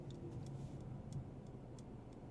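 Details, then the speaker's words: 2024 Mercedes-AMG CLA35, turbocharged 2.0-liter four-cylinder: soft, light, evenly spaced turn signal clicks about three per second over a quiet engine hum; normal. "Oh, it's such a light tapping. I really enjoy that for its subtlety."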